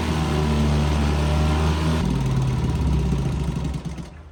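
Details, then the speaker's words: 1959 Johnson 3 hp Seahorse outboard with internal tank, likely unrun since June, run in a test barrel at 30 degrees before winter storage on proper oil mix: even buzz with a steady low beat, no misfires, then shut off and winds down cleanly; healthy. "Not a bad runner. Now you gotta keep in mind it's only 30 degrees outside, so all these motors are smoking quite a bit, and they all are running at the proper oil mixture."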